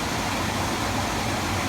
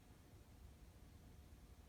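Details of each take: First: Attic HVAC furnace blower after fixing a loud rattle heard through the return vents: steady, even whoosh of air, totally quiet with essentially no vibration, knock or wobble. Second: HVAC furnace blower heard in the attic and through the return vents: quiet while spinning up or down, then a rough, low rattling roar at full speed from a wobbling blower wheel rubbing its housing.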